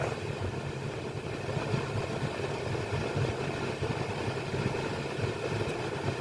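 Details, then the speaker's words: 2016 Jeep Patriot after replacing the HVAC blend door actuator that was clicking: a steady, even engine idle with no clicking, ticking or beeping from the dash; the actuator now works quietly. "And look at that. Fixed it. Probably took me 30 minutes. No beeping."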